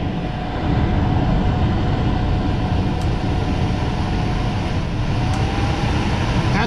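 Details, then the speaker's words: 2005 Super C motor home rooftop RV A/C just switched on after owner's repair with an eight-dollar part, heard from inside on low fan; steady even fan rush over a low hum, no rattles, squeals or cycling; normal running. "right on i can hear it okay that is what they call low fan"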